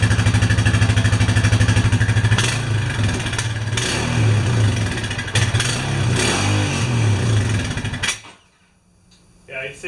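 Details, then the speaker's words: Honda Rancher 420 ATV, cold start after sitting over a year: uneven, stumbling idle of about three pulses a second, slow to respond and hesitating on throttle, then stalls; rough running from long storage. "it's definitely not real happy and it is a little slow responding they just stall yeah"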